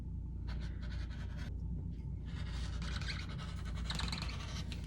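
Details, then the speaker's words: Rotary cutter cutting quilting fabric: a dry, scratchy squeak rises with each cutting stroke; the cause of the squeak is not identified. "i like to cut with a rotary cutter but scissors is fine too can you hear my rotary cutter squeaking"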